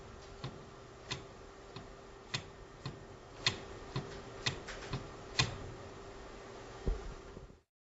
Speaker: según la posición en la que se encuentra el disco de mando de fricción en el volante de doble masa se nota y se escucha en el girar junto a bruce co